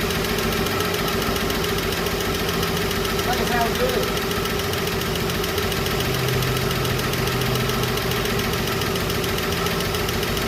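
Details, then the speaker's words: Chevrolet 235 Blue Flame six idling with open valvetrain clatter and an occasional misfire skip from tight valve lash, heard at the exhaust while a valve is adjusted; car had started ticking from a bad lifter. "So as he was adjusting that valve, I can hear the difference on the backside of the exhaust as it's opening it up more as it cycles through the. Because it had a little miss. It did have a little misfire, a little skip."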